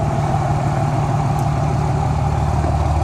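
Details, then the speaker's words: Cummins diesel truck just started after reinstalling an injector with a suspected cracked nozzle, cylinder blown out with compressed air: steady even idle, smooth low rumble, no knock or rattle, not smoking at all; normal idle. "anyways looks pretty good I mean I literally just started this thing after I saw up in the injector and it's like not even smoking at all"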